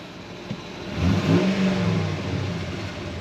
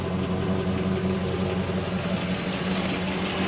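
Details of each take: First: 2005 Dodge Ram 2500 Laramie 4x4, 5.7 Hemi on LPG, 105,900 miles, suspected missing exhaust header stud: smooth idle then one clean rev blip rising and settling evenly, no knocks or misses; engine sounds healthy. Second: 2005 Dodge Ram 2500 Laramie 4x4, 5.7 Hemi on LPG, after throttle body clean: light, fairly regular ticking over steady V8 idle, picking up slightly with revs; owner hopes it is the exhaust manifold, source unconfirmed.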